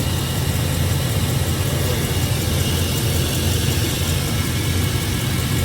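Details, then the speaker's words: 2002 Chevrolet Silverado V8 idling with a steady, even rumble and no stumble after a drive, following misfires on old gas; suspected dirty injectors, now sounds normal. "It actually sounds like a V8. So hopefully I don't this part anymore. Maybe it was just dirty injectors."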